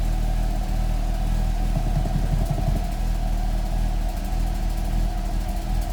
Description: Fiat Coupé 1994 16VT rough idle, exhaust leak and almost cutting out.